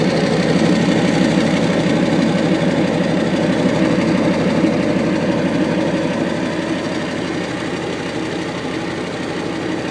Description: Trying to figure out my little tick I have